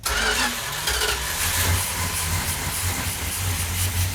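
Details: Cold 1972 Dodge Duster 340 V8 at first start with choke held: runs loud and uneven with a lumpy, stumbling beat and no clean rhythm; the ignition timing is too retarded and needs advancing.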